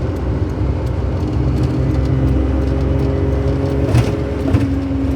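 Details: Suzuki Jimny JA22 after rear wheel bearing replacement, driving at 120 km/h: even road rumble and drivetrain hum with glass rattle and wind noise, no growl, whine or grinding. Normal rear wheel bearing.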